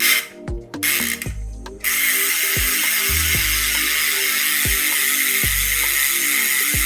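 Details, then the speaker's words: Boyd Cycling 85 rim-brake road hub after freehub service, pawls oiled with light sewing machine oil: crisp, loud, even ticking as the wheel coasts; normal, healthy freehub clicking with good engagement. "And this is going to make your system, your ratchet system when you're riding like nice and loud, too, but also keep it nice and oiled."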